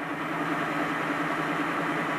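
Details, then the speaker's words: BMW EV conversion, first run of the motor and gearbox with a new adapter plate and coupler, gearbox without oil, run briefly at low speed: steady, even whir with no play, knocks or clunks. Sounds better than the old jaw coupler. Normal running. "no play at all in that drive it's 100 happy probably hear the gearbox there's there's no oil in it even at this stage so it's no harms to run it briefly at low speed like this"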